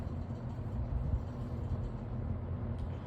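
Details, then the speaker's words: Vintage Kmart box fan running on low: low, soft, steady hum with no rattle, scrape or wobble; normal running. "it's running pretty good too and high"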